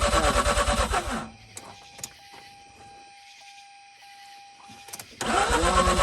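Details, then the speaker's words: 2004 Mazda RX-8 rotary after sitting two years, accessory belt shredded on first start, cranking with foot on the gas and no starter rest: fast even cranking churns, pauses, cranks again; turns over but won't start. "this is what i've been doing just with every time i'm counting i got my foot on the gas and i'm not letting the starter rest"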